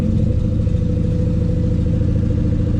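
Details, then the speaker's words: V8 idling on a Terminator X ECU at first start, after an alternator belt squeal was traced to a belt needing tightening or loosening: smooth, even low burble with no squeal or chirp; healthy idle, only a slight rattle in the back. "So there's no noises now."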